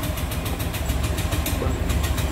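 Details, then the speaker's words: Fuel-injected scooter (for sale at a used bike shop) cranks repeatedly with quick regular starter chugging but never fires; owner suspects it is simply out of fuel, not confirmed. "Nếu mà FI mà đề cỡ này không lên là chỉ có đường hết xăng thôi các bạn ơi."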